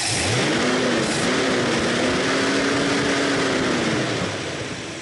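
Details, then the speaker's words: 1966 Mustang "Betsy" after a tune-up, radical cam, idle even, no run-on after key-off; revs climb cleanly as the throttle opens, hold, then ease back with no stumble, throttle response normal with timed ported spark via a vacuum regulator. "it works normally it just pulls up with the throttle with a Time start uh part spark"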